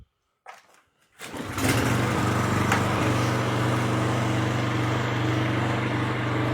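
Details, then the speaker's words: Toro TimeMaster mower test-run after fitting a new PTO belt and restoring drive belt tension, before reinstalling the cover; catches and settles into a steady, even single-cylinder run with no misses, knocks or belt squeal. "Perfect. So, now that you got that all taken care of, everything's running good and looks good, you can reinstall"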